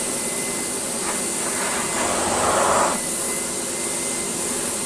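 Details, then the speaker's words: Philips Triathlon 1300 vacuum cleaner shampooing carpet, suction and water pump on after clearing an airlock, fine mist from floor head: steady even rushing suction, brief louder swell as head is pushed, motor holds speed without rattle or surging; normal running. "Although I don't actually think it's doing much. But then this sort of system never really does. But it's doing it."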